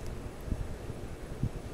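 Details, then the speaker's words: Late-1970s/mid-1980s Sears Kenmore (Lasko) 52-inch five-blade ceiling fan, 10-speed reversible motor, possibly CEI: at medium-high speed a soft, rhythmic low whooshing like small helicopter blades, steady and even with no ticks or wobble; normal operation. "kind of sounds like small helicopter blades and now comes the high speed very powerful strong airflow from a fan that is amazingly quiet"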